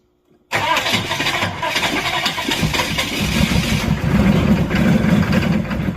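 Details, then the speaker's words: Old Chevy C20 crew cab truck, cold start after slow cranking fixed with more jump-starter power; engine catches abruptly with a sharp ether backfire crack, then settles into a rough, uneven idle; owner thinks the backfire broke the ring ridge loose. "literally all she needed was some more power baby oh back and a little bit with ether backfire I think that broke the ring rdge loose"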